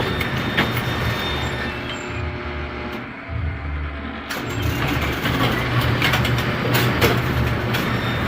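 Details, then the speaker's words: A2 pinsetter running after relay wiring repair, motor plugged back in: rumble sags and nearly drops out for about a second, then recovers; intermittent power dropout persists, bad crimp on a wire end suspected. "Looks like it. Oh, hold on. We uh there we go. Nope. We did not resolve our issue."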